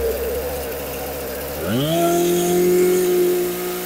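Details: Husqvarna 455 Rancher chainsaw, sat unused for a couple of years and would not start, now running after repair: idle steps smoothly up into a steady clean high-pitched drone without stumbling or surging; runs healthy.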